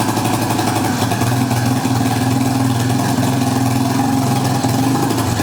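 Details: Yamaha Warrior 350 ATV single-cylinder after bottom and top end rebuild, first fire-up: idles steadily but slightly lumpy and uneven, owner suspects carburetor loading up, running a bit rich; cause not confirmed.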